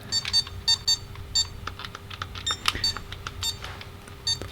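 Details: Tiger Electronics Mega Man 2 handheld, repaired from no sound by replacing an inductor: short, sharp high-pitched beeps in irregular groups over quiet handling noise. Sound output now works.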